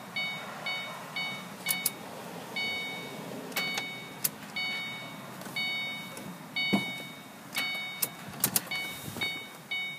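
Repeated bursts of high electronic beeping about once a second with clicks between, no engine catching; a no-start, cause not yet known.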